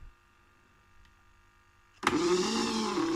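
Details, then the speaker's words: InMoov robot torso, servo-driven and freshly reassembled with grease and ball bearings, swinging side to side: quiet, then a rough, gritty creak with a wavering low groan. Plastic parts may be rubbing or fitted too tight; more grease on the pistons is planned. "that's going over to one side we move the back coming back over to this side that's really creaky he's working nicely just that creaking noises a bit"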